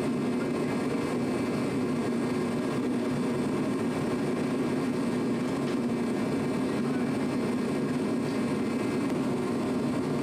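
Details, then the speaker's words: Challenger tractor diesel, engine overhauled two years ago, after fixing a worsening exhaust leak: even, steady low drone with no puffing or ticking; all exhaust exiting properly, sounds healthy. "we just had it running and everything seemed all right all the exhaust is going out where it's supposed to sounds good"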